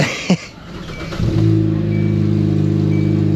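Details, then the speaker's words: Just after a catalytic converter replacement, with everything tight: the engine settles into a loud, puffy idle with a rhythmic exhaust chuff, traced to a hole in the side of the new cat where a plug was missed; exhaust leak at the converter. "and there's a hole in the side of the cat it must be a plug or something in the Box I missed that's funny I'm like what is that noise everything's tight and flat there is a hole there it is that's why it's loud"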